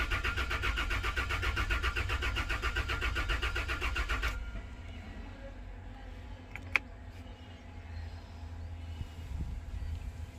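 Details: Toyota Land Cruiser V6 cranks but won't start: rapid even cranking, about four beats a second, for several seconds without catching; the fuel pump relay is suspected but not confirmed.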